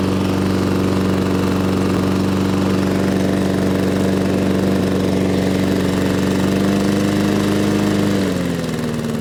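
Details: Lawn mower after fitting the original Briggs & Stratton carburetor parts into a rough-running Amazon replacement carburetor: steady, even engine drone with no misses or surging, revs easing down smoothly at the end; now running healthy.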